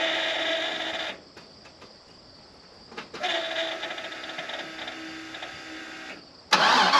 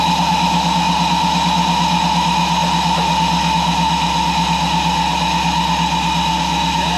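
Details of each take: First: Truck before the in-tank fuel pump upgrade: a steady electric hum before cranking, then the engine idles over a persistent loud whine from the noisy fuel pump. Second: Supercharged truck running after its in-tank fuel pump upgrade: steady, even engine pulse with no misses or knocks, and the pump is quieter than before; normal running after repair.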